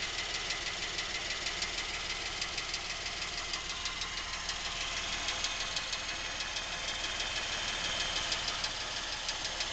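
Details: Lincoln MKX, near new with 7,000 miles, at idle: steady ticking knock about three per second, present since new and getting worse, seeming to come from the back of the engine; dealer could not hear it, cause not found.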